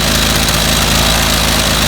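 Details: 25cc two-cycle string trimmer with no fuel filter that stalled after five minutes, while the high-speed screw is being adjusted: a steady, high two-stroke buzz at full throttle, even with no sag. A clogged screen was found as the problem.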